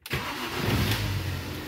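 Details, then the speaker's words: Mini with an intermittent hard cold start, already warm and on a battery charged to 35%: brief crank catches almost instantly, starting in 2.4 seconds, and settles into a steady, even idle; a normal warm start. "voilà donc ça c'est un bon démarrage après qu'elle soit déjà chaude ça démarre instantanément"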